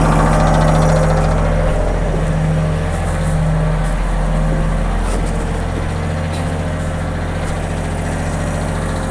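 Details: John Deere 1023E sub-compact diesel tractor that stalls in cold temperatures, run during a winter blizzard. It sputtered at first start from air in the fuel lines, then settled to a steady, even, low diesel idle with no misses or knocks.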